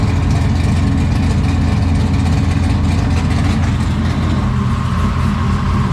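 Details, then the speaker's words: 1969 Camaro restomod 496 big-block V8, previously broken in on a run stand, first start in the car with exhaust cutouts open: deep, loud, lumpy burble idling evenly and strongly; normal idle. "today getting this motor fired up in the car it was started up before on the run stand and broke in so we did fire it up today in the car for the first time we heard the exhaust it sounds amazing"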